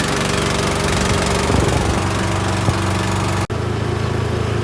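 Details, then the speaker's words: Rope tow small petrol engine started with kill switches on, choke, gas on, half throttle, left in gear, on a warm day: catches and settles into a steady even chugging run, brief dropout midway; normal start. "Choke. Gas on, half throttle, leave it in gear, and we'll start it up."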